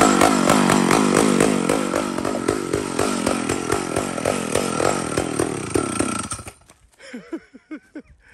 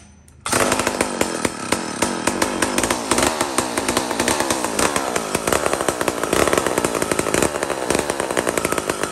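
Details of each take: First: Mac 125 SP big two-stroke chainsaw with worn old chain; holds a high, even scream through the cut without bogging, then winds down: healthy chainsaw under load. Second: Mac 125 SP chainsaw, single-jet carburetor, tuning in the cut: starts then runs under load with a rough, burbling, uneven note, fat and rich, before being leaned out.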